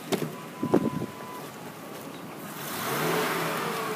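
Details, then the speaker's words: 2003 Ford F-150 XLT V8: a few clicks, then a smooth, even rev with no knocks or misses. Engine and transmission sound good. Normal revving. "but it runs nice and smooth engine sounds good transmission sounds good"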